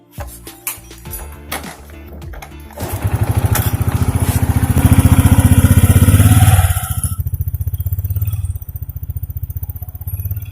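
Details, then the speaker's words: 2014 Honda Supra X 125 fuel-injected single-cylinder motorcycle at idle: the engine surges up to a faster beat, then sags back down and never holds steady. Hunting idle, with the cause still under diagnosis. "Oh ya seperti temen-temen naik turun orang dia naik Karang tinggi kadang rendah gitu"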